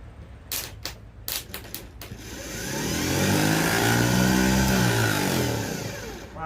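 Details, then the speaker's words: Starter from a 1985 Ford F8000 with a CAT 3208 turbo V8 diesel, tested on the bench. A slow, dragging, uneven whir swells then sags as the starter labours badly. The solenoid was previously diagnosed as the main issue, after intermittent clicking without cranking. "not good oh no that all right that is not great you hear how slow that's trying to turn that's"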